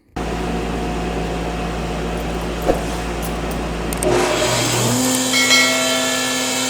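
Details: 53-year-old Powermatic planer with a 2 hp, 220 V, 3450 rpm motor drawing 11.2 A at 230 V, double belt drive: motor hums up to a steady, even whine, no knocking or rattling. Normal running.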